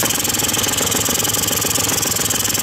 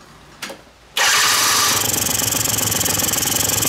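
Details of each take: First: Quantum RS two-stroke scooter, warm engine after carburettor mixture screw adjustment: fast, even putter with no misses or hunting, smooth when revving up and down; a properly set idle. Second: Quantum RS two-stroke scooter at idle, mixture screw opened too far with the throttle stop left untouched: buzzy, uneven idle with a ragged beat about four per second; too much air, running lean.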